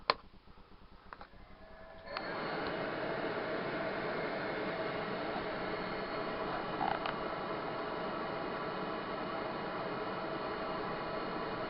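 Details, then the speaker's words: Propex HS2000 gas heater newly installed in VW T4 camper, flame setting: quiet fan whir for a while, sharp ignition click, then noise steps up to steady roar as burner lights; normal ignition. "Heard the click there, and that's the burner now fired up."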